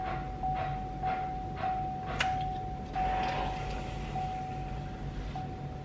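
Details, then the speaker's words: 2.8L Duramax LWN diesel in a Chevy Colorado/GMC Canyon after fuel filter replacement, ignition cycled to prime: quiet steady electric pump whine with faint soft hisses and ticks as air purges; fuel system priming normally after two cycles. "Kind of sounded like some air was purging out right now, and I only had to do it twice and it sounds like it's primed already, because when I turned it back on I just heard a little air purge sound was all."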